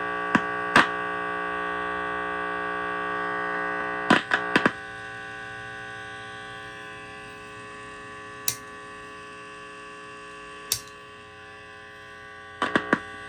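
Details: Heathkit IT-12 tube signal tracer at high gain on a weak radio station: a steady buzzing mains hum with sharp clicks buries the faint station; the owner suspects a short remains in the probe after fitting a new cable, unconfirmed.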